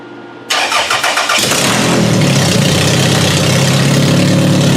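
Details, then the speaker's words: Toyota Solara startup after reassembly during a coil pack job: cranks briefly, then catches with an uneven, stumbling beat before settling; the startup miss it had before is still present. "It sounds like it has the mist."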